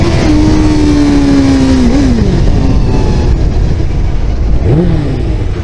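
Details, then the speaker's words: Motorcycle at about 22 mph and 4500 rpm in first gear, then in second: the exhaust note climbs, hiccups and dips briefly twice, then pulls on again; stumble under acceleration, also felt at lower rpm and speed, cause unconfirmed. "here it it's a stuttering and then it picks up second gear stutters"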